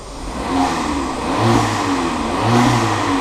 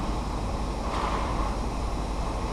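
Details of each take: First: Seat Ibiza, possibly remapped, after new timing chain tensioner and turbo actuator: repeated blips about once a second, each with a rising whoosh and whistle from the intake; it previously went into limp mode when revved; loud intake noise, cause unconfirmed. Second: Seat Ibiza cold start after replacing the worn timing chain tensioner (oil-primed): steady, even settled idle with no chain rattle, only a slight squeak from the auxiliary belt; normal cold start.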